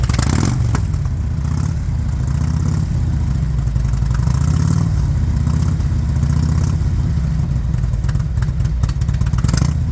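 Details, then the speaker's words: Spanky's motorcycle, sat for years, first run after rear wheel and sprocket work, first time under its own power in years: low smooth engine note that picks up cleanly with throttle, no knock or misfire: normal running. "First time under its own power in years. Sounds pretty good."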